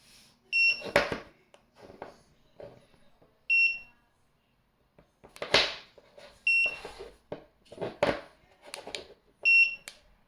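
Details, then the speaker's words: TickTime timer keeps giving short high-pitched double beeps every few seconds and will not stop; it stops only when the charger is connected. Continuous beeping fault. "What should I do? It cannot stop beeping. The only way I know how to stop it is to put the charger on."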